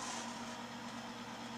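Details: Timken bearing friction test run with SynMax Racing power steering fluid: a soft, steady hum with a faint whine stays even and settles quieter under load, a well-lubricated bearing running quietly.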